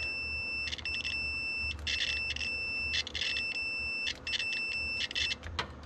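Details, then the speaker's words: Ignition switch on a PSI Conversions LS/LT L83 swap, tested with an ohm meter on the red ignition wire through on, start, accessory and off: continuity beeps cut out and stutter instead of holding steady, dirty contacts making intermittent connection; the switch will be replaced. "And then off. Nothing on accessory. So that's perfect. That's exactly how we need it to work. I am going to replace this switch, but the new switch should work the same way. But that you can hear that is not the cleanest connections in the world."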